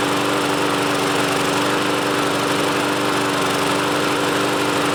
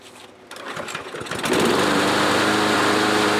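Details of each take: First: Troy-Bilt front-wheel-drive self-propelled mower from a used lot, on its first start attempt: the engine runs with an uneven, stumbling beat that never settles. Owner thinks the carburetor needs cleaning out again. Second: Troy-Bilt push mower after lubing the self-propel cable, with fuel stabilizer added. It catches after a few pulls and settles into a steady, even, high-pitched run with no misses; healthy.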